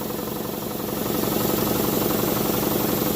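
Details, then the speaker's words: Campbell Hausfeld air compressor revived after water-damage lock-up, cleaned, relief valve leaking: even, fast pumping beat near four strokes a second, rising slightly as it loads; compressor pumping and building pressure normally. "Other than that, it works pretty good. Clearly, it's building pressure cuz you can hear it."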